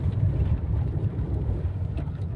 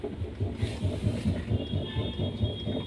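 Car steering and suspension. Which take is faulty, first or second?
second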